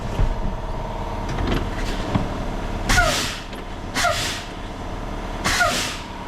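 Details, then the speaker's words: International 7600 heavy truck, after chasing an air brake leak (suspected brake chamber), fed by shop air then air off, wheel chocked: three sharp air bursts as brakes apply and release, no steady hiss; brakes hold steady, no leak. "Let it equalize and get a good brake stand. And it is holding steady. That's exactly what we need."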